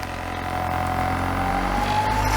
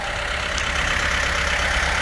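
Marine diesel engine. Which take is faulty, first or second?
first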